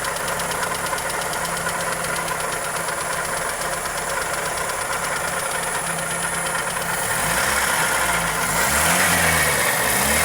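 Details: Toyota 2E engine (Corolla EE90) at steady idle with a sharp, even tick about four per second; ticking knock, valvetrain or connecting rod suspected, source not confirmed.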